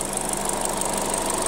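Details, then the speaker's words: Hyundai Creta at oil change, engine running before new oil: busy light ticking top-end clatter over steady idle, worse in winter until warmed up; owner blames oil, switching to GF5 oil; engine clatter at idle. "показать грохот, который меня не устраивает. Ну вот, это еще летом, а зимой, так вообще такой стоял этот, пока не прогреется."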